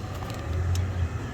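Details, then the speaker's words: Kia Forte with code P0743 that stalled when put in D or R, after repair, scan-tool actuation test at idle: a steady engine rumble with one sharp tick as the torque converter clutch solenoid engages normally. No codes return. "no I know if you heard that Tac and here we have the performance So this is already a successful repair"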